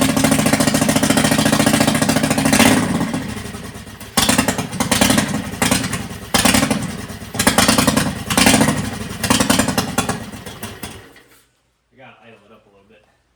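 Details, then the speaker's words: Custom-intake 670cc V-twin (Yerf Dog build) with governor deleted, PWK34mm flat-slide carb, 50lb valve springs and billet rods, started on an old battery after sitting: lumpy idle with stronger irregular pops surging on blips before dying, sounds rich, mixture suspect. "Sounds like it's got a little bit more uh oomph to those pops. Also sounds a little bit rich."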